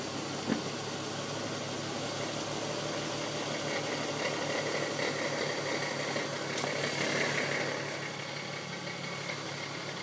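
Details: VW R32 (MkV) with DSG gearbox idling in park or neutral: light uneven metallic chatter about four rattles a second over the engine hum, which goes away in reverse, drive or sport.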